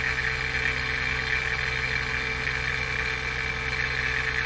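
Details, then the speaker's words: NAVAC NP4DLM cordless dual-stage brushless vacuum pump running with the gas ballast open, pulling down toward 3,000 microns: a steady, even hum with a constant high whine, no knocks, surging or rattles; running normally. "and then turn the pump on you can hear it starting up super quiet"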